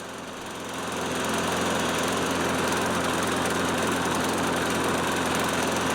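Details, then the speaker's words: Nearly 30-year-old Toro Recycler Personal Pace self-propelled mower after the drive system repair: small single-cylinder engine runs a steady, even buzz, no knocks or surging; near zero oil consumption, back in service. "After nearly 30 years, this engine still has near zero oil consumption. Looks like the faithful old Toro is back in service."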